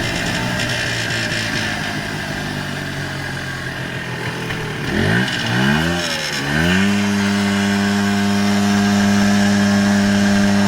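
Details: 1994 Polaris Xplorer 300 4x4 single-cylinder ATV after a top-end rebuild: revs blip, then a steady strong buzzing drone at certain RPM ranges and on deceleration, with or without the primary clutch, driving or stationary. Nothing obvious is rubbing; cause unknown.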